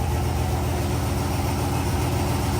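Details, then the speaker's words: Turbo Ford Crown Victoria on a lift, in gear after an Eaton Detroit Truetrac replaced the worn factory Trac-Lok; even low drivetrain rumble, no whine, clunk or grinding; normal differential operation. "think we're good. Listen to that. Barely hear this thing run. I love it."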